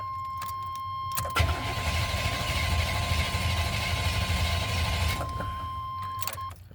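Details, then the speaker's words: 1990 Chevy K1500 5.7L V8, owner reports crank no start: strong, even cranking for about four seconds that never fires, ruling out starter and battery; fuel delivery suspected, traced to a failed fuel pump. "all right that checks out well with a strong crank like that we can rule out the starter and we can rule out the battery"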